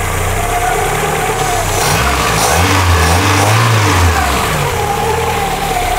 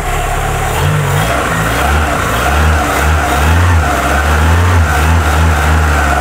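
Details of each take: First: Carbureted engine restarted after coolant purge, idle set by ear: even idle with a brief rev, running smoothly; breather (reniflard) blows strongly and a belt-like noise is noted, owner worried but engine runs well. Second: Cold engine restarted after coolant bleed, idle being adjusted, compression reported good: low lumpy rumble with throttle blips and steady hiss of much gas escaping the breather, cause unknown; crankcase blow-by, possible overtight belt noise also noted.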